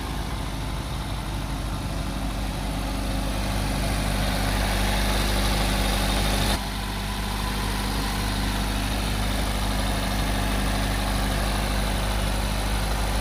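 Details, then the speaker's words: 2023 Maruti Brezza ZXI petrol with F4 engine and no leaks, just started. It idles a little raised at first, then settles into a smooth, even low hum with no knocks or rattles. Normal idle. "So petrol car compulsory మనకి first కొద్దిగా raise లో ఉంటది తర్వాత మనకి slow అవుతూ ఉంటది engine"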